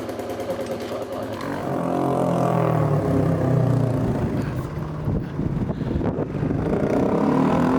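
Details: Royal Enfield 350 J-series single after fitting a TEC Stage 2 performance camshaft, ticking over 10–15 minutes for ECU auto-adjust: steady, unhurried single-cylinder thump with no clatter or misfire; normal idle.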